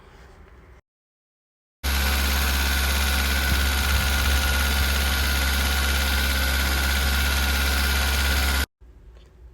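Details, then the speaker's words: 2008 Suzuki WagonR, 320,000 km, no engine warning lamp: engine holds a fast, steady high idle right from start, unchanged when the ISC valve coupler is unplugged; wiring voltage is fine, so the idle speed control valve is stuck. "ISC വാൾവ്ഡ് കപ്പ്ലർ ഊരിയിട്ടും ആ racing അങ്ങനെ തന്നെ നിൽക്കും കേട്ടോ അപ്പൊ നമുക്ക് ഏകദേശം confirm ആയി അതായത് ഐഎസ്ഇ വാൾവ് സ്റ്റക്ക് ആയതുകൊണ്ടാണ് അങ്ങനെ കംപ്ലൈന്റ് വരുന്നത് കേട്ടോ"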